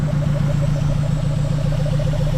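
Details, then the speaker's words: Mazda B2200 pickup after new fuel system (lines, pump, fuel cell), first start after 20 years, still on 20-year-old thin oil: steady, even low idle with regular pulse, no knocks or stumbles; idling by itself. "so here it is she runs though guys yeah so happy so happy and she's idling she's just sitting there idling by herself"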